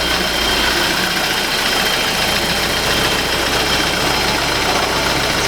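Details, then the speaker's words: BMW E30 four-door, owned about 8 years, tired but starts, runs and drives: steady idle buried under a busy, tinny rattle that never settles; it has always sounded like a rattle box, origin unknown. "So as you can tell, guys, it doesn't sound good, but it never has. It's always sounded like a rattle box."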